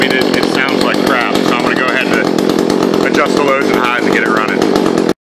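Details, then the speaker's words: Echo CS-400 chainsaw just after a muffler mod, before carburetor retuning: uneven, blubbery two-stroke running that never settles; mixture is off, later fixed by about one and a half turns out on the high screw and a little on the low. "I have a feeling it's going to either be hard to start or it's going to idle very weird."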